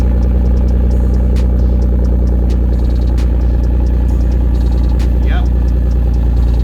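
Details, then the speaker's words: Toyota 2JZ-GTE with 80,000 miles, run on an E85/93 mix (E50) and left sitting for days: a deep, uneven, stumbling idle that misfired badly under boost. The original spark plugs were fouled and worn. "these are the original spark plugs that came with the car that is why it was breaking up big time under boost spark plugs were all cruddy"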